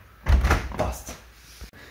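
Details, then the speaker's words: Door hinge after spraying it with WD-40: the door swings and closes with only a soft thud and no creak or squeal; squeak eliminated. "Freunde, das war's schon. Das Quietschen ist nun beseitigt."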